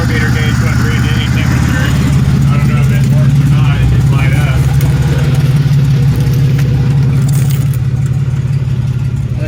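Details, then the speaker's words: 1997 Pontiac Grand Prix GTP coupe, engine idling right after the belt was fitted: a loud, steady low idle with an even beat and no knocks, squeals or misses, which is a normal, smooth idle. "all right joe i got the belt on and she's running running nice"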